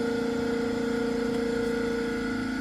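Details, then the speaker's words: Pulsed laser deposition system turbo pump after spin-up, actual rotation reached 800 Hz: steady high clean whine at one pitch with faint hum below, no wavering or grinding; normal running at full speed. "My actual rotation is about, it reached 800 Hertz."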